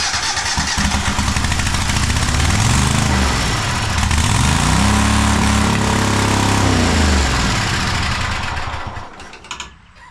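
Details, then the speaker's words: Cub Cadet Super LT1554 lawn tractor, 27 hp Kohler V-twin, 500+ hours, after carb cleaning and with governor spring returned to original position: pitch swings then holds hard high-speed roar; runaway engine, governor not holding speed, cause unknown. "Uh someone tell me why it is that now we have a runaway engine."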